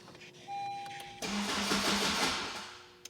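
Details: Vehicle after VIN-matching new ABS pump and erasing codes: engine catches roughly after short crank, runs about a second, then dies by itself, running shorter with each try; starts then stalls.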